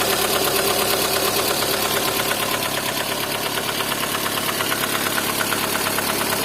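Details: Lada Kalina engine: sharp metallic knock at about two per second with an even beat over the idle; internal engine knock, cause undetermined.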